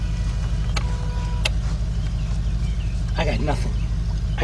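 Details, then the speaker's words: 2006 Mazda 6 that cranks but won't start, during a compression test with the throttle held open: fast, light, even cranking with no compression strokes and no start. No compression on the front three cylinders; the owner felt the timing chain move, cause unconfirmed. "no compression out of these front three cylinders and actually I as I said I felt that felt that thing move that chain move this sucks man this really sucks"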